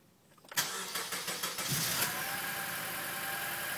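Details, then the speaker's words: 2004 Acura TSX running rough right after start, uneven idle with strong raw-fuel smell from tailpipes; suspected misfire, one or more cylinders possibly not sparking and not burning fuel, cause not confirmed. "she's running rough so you can see sounds like she's [Applause] misfiring right"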